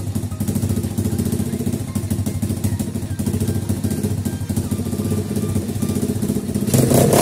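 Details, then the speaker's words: 50cc two-stroke pitbike after carburetor cleaning, mixture screw backed out about one turn and adjusted for highest idle speed. Small single ticks over at a quick, steady idle with even firing and no misses; idle now normal. "So, wie man hört, klingt ganz gut so. Ziel ist es bei der Einstellung der Gemischschraube, die höchste Standgasdrehzahl zu bekommen auf der jeweiligen Standgaseinstellung."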